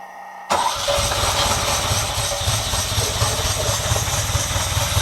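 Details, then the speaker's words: 1979 Ferrari 308, first start after long storage following fluid and hose hookup and coolant bleed, in neutral on full choke: fires and settles into a fast, slightly uneven idle. "Dang. It ran on its own. I thought he was still cranking. I thought that's why it was spinning. It's just running really slowly."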